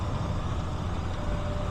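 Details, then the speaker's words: Old red B model truck hauling a step deck trailer with a 1978 Ford A64 wheel loader home, called a light load, cruising at 75 mph and about 1600 rpm: deep, even diesel drone with no knocks or misses. Normal highway cruise. "This truck is comfortable at 75. Yeah, 75 is right about 1600 RPMs."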